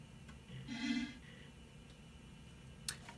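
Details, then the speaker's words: Windows 98 PC floppy drive reading a disk that earlier failed to format: soft ticks and a short buzzy burst as the head steps and reads in a quiet room; normal disk read. "so you can hear the computer is reading the floppy disk"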